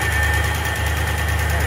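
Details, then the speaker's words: Recreation L79 small-block in a 1965 Malibu SS, just resealed, cold start in cold weather: fast, hard-edged, busy idle around 1150 rpm with ignition timing set way too advanced. "pretty advanced it's it's way Advanced but it's still it's the RPM side though 11.50"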